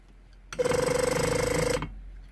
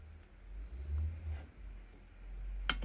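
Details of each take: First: Range Rover Sport air suspension compressor (appears to be a BMW unit) with suspension warning, exhaust valve and compressor circuit faults: short buzzy whir with even fast pulse for about a second, then stops; pump runs, condition unknown. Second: Range Rover Sport air-suspension compressor (appears to be a BMW unit) on the bench, exhaust valve energized. A run of crisp, consistent sharp solenoid clicks, about a dozen in just over a second. Valve actuates, sealing unknown. Normal valve clicking.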